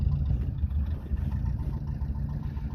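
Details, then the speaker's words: 1977 Renault LeCar (R5) with new points and hot battery, needing choke and not idling great at first, then settles to a steady low rumble with even beat and no knocks or misses; normal idle. Belts not spinning properly. "She's running. Let her just kind of run out here a little bit. Sounds good."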